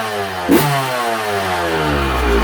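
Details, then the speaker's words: Yamaha YZ125 two-stroke dirt bike, ice cold: crisp note catches straight away and climbs smoothly without bogging or spluttering, clean healthy cold start with no clean-out needed. "this bike was ice cold look at that clean as can be"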